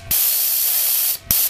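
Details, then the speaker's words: Sears Craftsman air compressor model 919.167240 after broken belt replacement. A sharp hiss of about a second, then a second short burst, as the pressure release valve dumps air normally. "which is how you would just probably quick way to dump pressure on these things if you need to get rid of some a on"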